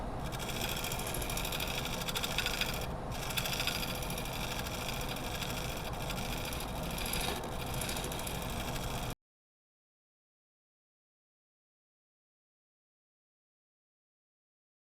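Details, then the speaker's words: Partly dry maple blank on a lathe during shear scraping: a rough, fast rattling scrape at about three hits a second as the gouge chatters across cracks in the blank. Tool chatter on cracked workpiece. "Yeah, the chatter against the cracks is what that noise is."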